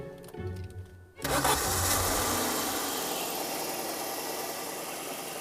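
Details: Alfa Romeo 164 with intermittent crank/no-crank, after disturbing the starter's main lead feeding the coil packs: brief crank, then it catches cleanly and settles into a steady, even idle.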